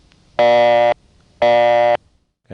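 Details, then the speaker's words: New York City call through Bushwick to a panel exchange: buzzy bursts about half a second long repeat roughly once a second, the typical panel ring-to-busy signal of the 1960s and 70s. "that's the typical panel ring to busy. All panels did that in the 1960s and 70s."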